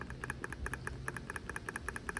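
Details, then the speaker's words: Removed brake booster from 3rd-gen Toyota 4Runner (stiff pedal, brake light on): pushrod spindle worked by hand gives sharp metallic clicks in quick pairs, about five a second; excessive play versus firm new Seiken booster. "that spindle definitely has a lot of play to it. Now with the new booster here, not nearly the same in regards to the play."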